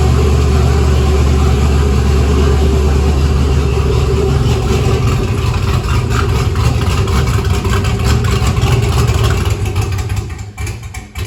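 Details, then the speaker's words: 1962 Chevy C10 with LS swap, newly wired, at one of its first starts: deep V8 rumble surging and sagging unevenly through revs, then stumbling; runs well only sometimes, owner links it to an adjustment screw; uneven running. "that's what I'm talking about with that screw sometimes this thing wants to run good sometimes it"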